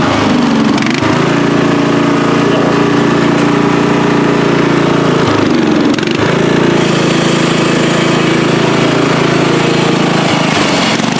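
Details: Free riding mower, tank previously drained, running after flood-prone start attempts with fuel clamped off to stop flooding: steady, even drone with a brief dip around six seconds, then settling back to a smooth run.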